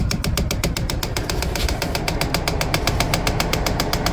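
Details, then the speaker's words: 2011 Kia Sorento XM 2.4L 4-cylinder 6-speed auto FWD, ignition on, engine off: sharp, even ticking about four per second from under the dash; jammed A/C servo (blend door actuator) motor, replaced. "hi guys uh this is 2011 Kia Sorento so this car had a problem is when you put the key on it you can see the noise coming for the cell motor is coming in underneath"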